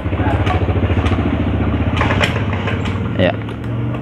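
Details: Honda Beat FI scooter with total electrical failure, won't start by button or kick: starter turns the engine slowly in a labored chug that fades and never catches; battery too weak to crank despite reading 13 volts.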